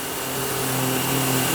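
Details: Nilfisk C110 pressure washer with circular nozzle fitted: even pump drone with smooth water hiss, pitch holding steady throughout; running normally.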